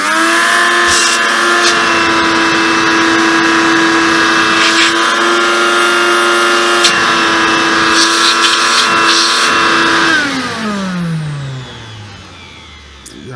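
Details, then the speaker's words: Hoover Convertible/Dial-A-Matic U1124A upright vacuum after removing an old nylon blockage; strained high whine with little airflow rush, smooth wind-down at switch-off; still sounds blocked, problem elsewhere. Blocked airflow. "not moving and this still sounds a bit blocked so I think we could have to look elsewhere"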